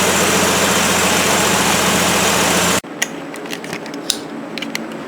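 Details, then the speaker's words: 1973 Plymouth Duster 225 Slant 6 after swapping the factory one-barrel carburetor for a Holley 350 cfm two-barrel on an iron two-barrel intake with adapter plate; choke opened, idle screws set to about 800 rpm. Steady, even, smooth low hum with no misses: good idle. "Now I can calm down and relax a little more. It's got a good idle to it."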